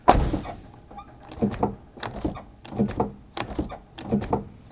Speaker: when you pull the handle this window should drop just a little bit so it can clear the weather stripping you see that and when i close it it goes back up